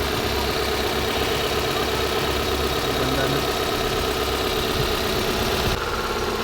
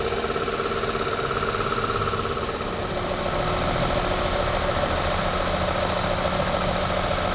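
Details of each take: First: Toyota Corolla 2E petrol engine at idle after repair for smoking and oil consumption; smooth, steady idle with a light, loose rattle on top, traced to the timing belt cover; the engine itself is sound. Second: Toyota Corolla 2E petrol engine after repair for smoking and oil consumption; steady, even idle with constant pitch and no misses, shake or knocking; engine runs very smooth, cooling fan now switching on automatically; normal idle.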